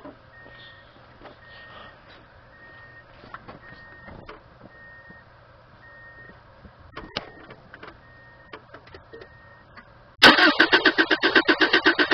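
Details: 1997 Subaru Outback with a blown head gasket and very low fuel. Quiet chime beeps, then the starter churns at about four turns a second without the engine catching; hard start attributed to running out of gas.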